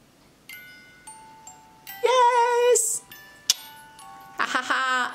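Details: Overwound music box after oiling and cleaning: clear, bright plucked notes ring out evenly with no dragging or stalling. It plays properly, though the gears are still slightly stiff and need more running.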